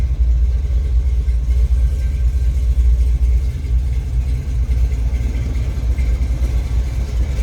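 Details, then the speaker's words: 1971 Chevrolet Suburban V8 at idle after starting: deep, steady rumble with an even lope, no knocks or ticks standing out; a good-sounding, good-running, healthy engine. "Now let's start this up. Good sounding, good running vehicle."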